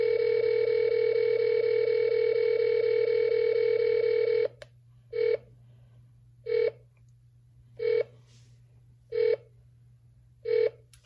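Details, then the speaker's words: Amiko Mini satellite receiver beep feature used as a signal finder: a steady tone breaks into slow, evenly spaced beeps about every 1.3 seconds after switching to 99 West C-band, meaning no signal. "so you could hear uh as I switched over to 99 West cband there's no signal the beep is much slower"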